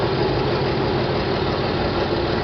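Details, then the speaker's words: John Deere 4020 tractor after split and clutch replacement, first start in park: steady even low diesel idle about 1,000 rpm, no knocks or misses, oil pressure light out, still a little smoky. "Got about 1,000 RPM. Still a little smoky."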